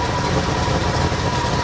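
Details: 1973 Ford Ranchero V8 idling with new knockoff carb, while checking ignition timing with a timing light (distributor bolt hard to reach, untouched): steady low idle with slightly uneven lumpy beat; rough idle, timing suspected, not confirmed.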